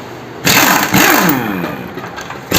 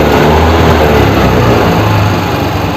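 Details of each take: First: Suzuki Access 125 scooter: the starter churns, then the engine catches into a rough, busy idle with a buzzy top end, followed by another crank. Engine noise on start-up, cause unclear. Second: Suzuki Access 125 scooter: even idle at about four beats a second, steady then dying away, no knocks or rattles; normal running.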